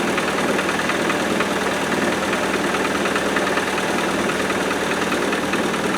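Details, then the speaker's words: 90 four-cylinder petrol engine, unused for four years, with a new coil, cold start at about 3°C: loud steady idle with a light, fast, uneven rattle, suspected valve or tappet noise; it went away after about half an hour of running. "But I'm a bit concerned what that rattly noise is. Could be a valve. Could be a tapping. Doesn't it go away? I thought at first it was the shroud hitting the fan."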